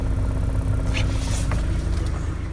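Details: Audi TT that cranked but wouldn't start because the fuel pump had stuck in the tank and didn't prime; after tapping the pump it fires and holds a smooth, deep, even idle with a faint steady hum, no stumble; running normally.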